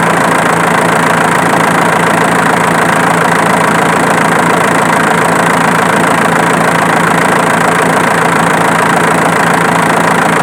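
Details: Diesel engine idling evenly with a faint regular snap about twice a second on the clatter, located with a camera; it comes from the alternator, not the injection pump as suspected.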